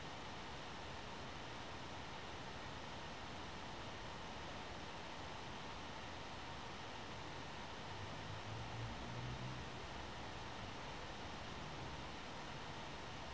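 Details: One Netbook One Mix 2S Yoga 7-inch mini laptop running Prime95 CPU stress test: steady airy fan rush holding even and swelling slightly near the end; normal laptop fan under heavy load.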